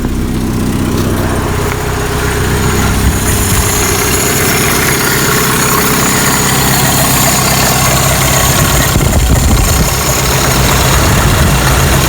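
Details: 1985 Toyota pickup, 22R 2.4L four-cylinder carbureted, 2WD, first start after mechanical fuel pump replacement, air filter and cover off; steady even idle with no misses or knocks, no leaks; normal idle.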